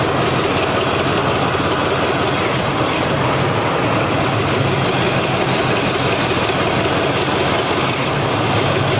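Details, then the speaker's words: Neglected Chevy C10 with a once-seized 5.7L 350 V8, first start: throaty steady fast idle that won't idle down; something sticking, needs adjustment, possible vacuum leak, plus exhaust and transmission line leaks. "Well, it runs. I can't get it to idle down."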